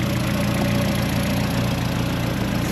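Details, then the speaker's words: Turbo engine first start after reinstall in car, with new aluminum injector cups, hybrid oil pan with oil return adapter, bigger intercooler: steady even low hum idle, no misses, knocks or ticks, "purring like a kitten"; healthy. "Yes, great success. Yes, she is on and she's purring like a kitten."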